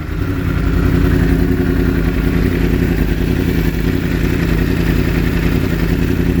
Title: 2016 r1 misfire when mode changes